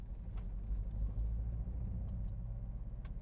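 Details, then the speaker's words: BMW Z4 petrol engine driving in second gear under hard acceleration: rough, uneven stumbling rumble, misfiring and unable to pass 3000 RPM as it enters limp home mode. "But if I drop it down into second like this and give it some gas, that's it. The engine's misfiring and I can't really accelerate the engine past 3000 RPM because it goes into limp home mode."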